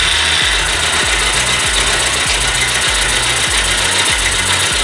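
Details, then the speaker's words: Motorcycle at idle with the tappet cover off: light, quick ticking over a loud hiss; valve tappet clearance too loose, adjusted by tightening the slotted screw with a screwdriver. "इसके बाद जैसे ही मैं engine को start करूंगा आवाज में से एक बहुत ही सुरसुरी सी आवाज आएगी सुन सकते हैं"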